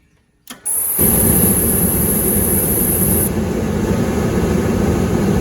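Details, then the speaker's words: Hot water pressure washer oil burner: soft click and puff, then a steady even roar; igniter shuts off after lighting as intended, burner lights cleanly and works normally. "And if you can hear it, the igniter actually had shut down when it didn't light, and then it shut down again after it lit. So everything's working exactly the way it's supposed to."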